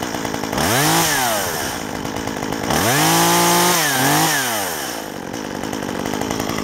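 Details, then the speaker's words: Stihl 193T chainsaw, warm, after carburettor retuned with a tachometer (previously too lean since new), about 700 rpm change: clean crisp revs rise and fall smoothly, no bogging or stumble; runs healthy. "Good saw now. World of difference. Just 700 RPM makes a huge difference."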